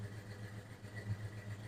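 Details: 1996 Ford F-150 V8, recorded at exhaust: quiet idle with uneven stumbling beat as a cylinder drops out, maybe slight smoke, clicking noise; compression test poor, suspected no-compression cylinder.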